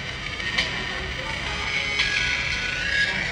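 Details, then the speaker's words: Samsung A10s ringtone through loudspeaker: thin, raspy, buzzy, bassless sound after a non-original charging board was installed elsewhere; fixed by replacing the charging board. "áudio dele está rouco"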